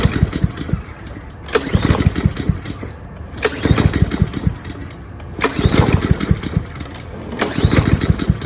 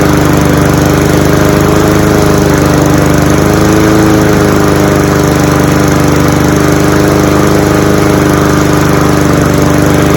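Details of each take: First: Cub Cadet SC-700H mower, Honda GCV190 engine, run dry to prepare for winter storage after a large backfire: engine surges and sags about every two seconds with sharp pops; sputtering and stalling as carburetor runs out of fuel. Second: Cub Cadet SC-700H four-wheel-drive mower, Honda GCV190 engine, cold start outdoors in November with fuel shut off: steady even running with no misses or surging as the carburetor runs dry for winter storage; normal running.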